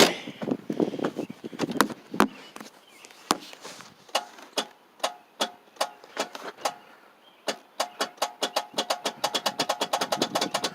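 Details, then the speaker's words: 1994 Oldsmobile 88, no crank, no start, possibly hydrolocked: sharp dry starter solenoid clicks speed into rapid chatter with no cranking. A bad battery connection is doubted. "know where that starter solenoid is but I just hear it clicking starter solenoid"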